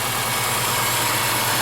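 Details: 2005 Subaru Forester 2.5L manual with a high idle of about 1,000–1,200 rpm at 11–12% throttle with no pedal input, reportedly racing to 3k rpm at times. Unplugging the purge valve drops the idle. Throttle body, ECM and sensors were already replaced without a fix.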